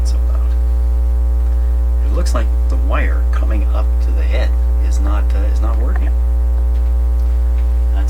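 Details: Dominion Electrohome TR50 console receiver with BSR 610 record player, new cartridge installed, one channel dead: loud steady mains hum with nothing else coming through, an open input where the blue-black wire has come unsoldered.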